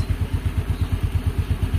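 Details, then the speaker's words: Mio Sporty scooter just after a carburetor cleaning, air screw left untouched, cold start: even low thumping about nine beats a second with no stumbles or misses after initial hard starting; a smooth, steady idle. "Pero pansinin nyo, pagka start natin, so steady na yung minor niya kasi hindi ko na binago yung screw ng ere natin, hindi ko na siya inalis."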